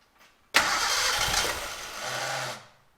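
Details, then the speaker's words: Gilbern Invader Mk3 barn find, points and coil triggering: engine bursts into life about two seconds on brake cleaner spray then dies; with a fuel line fitted, no fuel arrives. Ignition works, fuel delivery fault. "we'll see if we get fuel let's see if we're getting fueled up now no we're not"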